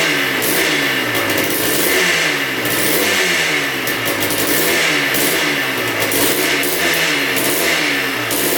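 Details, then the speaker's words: 2003 Yamaha Blaster 200cc two-stroke quad, once warmed up. It surges unevenly, won't rev out cleanly and breaks up under throttle; the owner suspects broken flywheel magnets causing inconsistent spark. "you can hear it kind of breaking up now I think it's that flywheel magnets causing issues it seems like it's like inconsistent spark once it gets warmed up"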